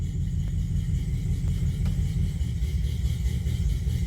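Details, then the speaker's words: 1985 GM C10 pickup V8 idling in drive under load after an open carburetor vacuum port was plugged: low, smooth, steady rumble with no hunting or stumbling; normal idle in drive. "got it pluged plugged started up it purs like a kitten put it and drive underload just sits there and"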